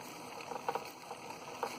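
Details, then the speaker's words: Polish school steam engine run on a gas-fired boiler at a slow prototypical speed, with a working governor; soft, quiet puffs and light clicks with no thumps or clanks, running gear tight and healthy. "you can hear there is there are none I love how this engine whoops I love how this engine just runs it's such a nice slow prototypical speed it's amazing"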